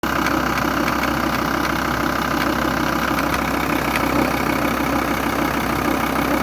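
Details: VW T4 2.5 TDI (AUF engine) at idle: a steady diesel idle with a light, fairly regular tick about three times a second on top. Ticking noise attributed to a defective vacuum pump.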